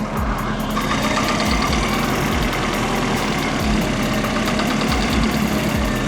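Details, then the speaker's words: Mercedes W202 with the M111.975 engine, just after a garage overhaul: steady idle with a fast light ticking over dull thuds. Owner suspects a worn 4th-cylinder piston; unpumped hydraulic lifters also suspected. Knock at idle, cause unconfirmed. "well, hell there is something knocking still fucking pump height"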